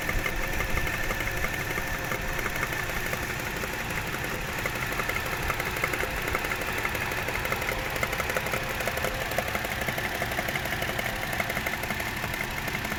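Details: Toyota 1JZ-GE at idle: steady light tapping about three per second over smooth idle; knock source undetermined, others advise checking camshaft bolt tightness; unconfirmed.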